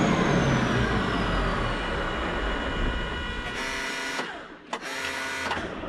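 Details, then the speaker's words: 8.3 Cummins road grader diesel, running better on suspect paint-thinner-smelling fuel, then sags and cuts out, catching only briefly: fuel shutoff solenoid pull-in wire has power but hold-in wire is not getting power. "For some reason, that tells me that for some reason we're losing power. The pull-in wire is getting power. Now the hold-in wire, for some reason, is not getting power across it."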